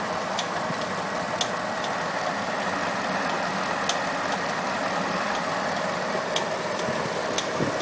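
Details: Pontiac G8 V8 at idle just after swapping the OEM harmonic balancer for an ATI Super Damper: irregular sharp light ticks, roughly one per second; owner suspects a pulley now under added tension is failing, unconfirmed.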